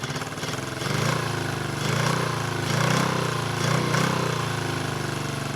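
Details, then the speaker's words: 1974 Honda CB350F four-cylinder, sat unused for years: lumpy uneven idle loping about once a second, running on three of four cylinders; one cylinder dead, suspected float or pilot jet issue in its carburetor. "the carbs um running on three of four cylinders which is probably just either a float or a pilot jet issue"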